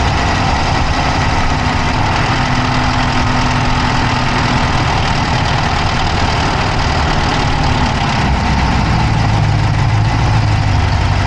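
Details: Dodge Charger Hemi V8 at steady idle, recorded inside the engine bay on the passenger side with an Insta360 Go3: a fast, light ticking rides over the engine note; an engine tick at idle whose cause can't be pinned down.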